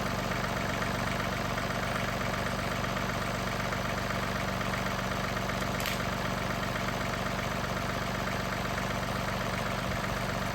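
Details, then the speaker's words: 2021 John Deere 2038R diesel tractor after tightening the leaking injector fuel line, run about five minutes: steady, even idle clatter with no misses or knocks, no leak seen; healthy. "I had it running for maybe 5 minutes and so far so good I don't see anything leaking"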